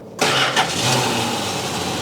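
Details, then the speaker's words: 1969 Plymouth Barracuda, revived after sitting 27 years, restarted after a run and coolant check with no leaks: cranks briefly, fires without touching the gas, and settles into a smooth, steady idle with a slight lifter tick, common on these engines. "Listen how smooth that is. It's got a little bit of a peck to it. A little lift or tick, but that's fairly common, believe it or not, on these old Dodges."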